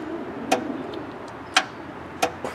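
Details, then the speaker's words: Craftsman riding tractor: single sharp clicks about a second apart when the key is turned, no cranking; starter never engages, faulty starter solenoid. "I hear a click. But it's not starting. No, it's not."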